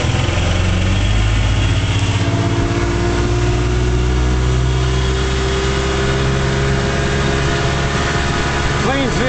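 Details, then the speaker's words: 1956 Johnson Javelin RJE-18 30HP two-stroke outboard on 14ft Viking runabout, under way: steady even drone at one pitch, no misses, knocks or rattles; running clean and healthy. "Javelin runs real nice. So much nicer than the new ones, you know."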